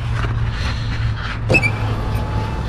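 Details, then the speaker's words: 2005-2009 Saab 9-7X/GMC Envoy power window, lowering the glass after silicone spray: low motor drone then a short high-pitched squeal; source, motor or regulator, not yet pinned down before motor and regulator assembly replacement. "now i am interested to see why it's squealing so bad i want to know if the squealing's coming from the motor or coming from one of the blades or if it's coming from the wind from here"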